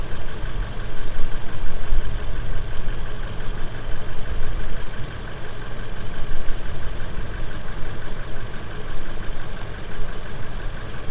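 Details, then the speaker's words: 2009 Toyota Innova with MAF manipulator, XCS, after installing Blackcore catalyst, tuning and additive, idle not revved (reading dropped 71 to 69): smooth steady idle, only faint injector ticking and slight valve tick, engine noise largely gone; normal. "Kedengaran cuman injektor doang kan, Pak? Injektor sama sedikit klep. Ya. Suara mesinnya hilang."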